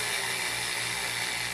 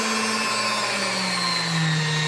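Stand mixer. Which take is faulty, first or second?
first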